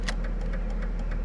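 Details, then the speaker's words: Ford Ranger, engine running, right turn signal on: quick steady clicking about six or seven a second over idle; hyperflash because LED taillights draw too little current, truck thinks bulbs burnt out. "I'm gonna turn on the right turn signal. See how fast that's flashing?"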